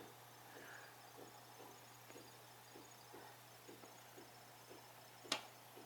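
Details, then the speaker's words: Computer case after foam pads were fitted under its base to stop vibration: faint steady low hum with soft fan rush and no rattle or buzz, much quieter than before, normal quiet case fan running. "right now it's this thing is running nice and much quieter than it used to be"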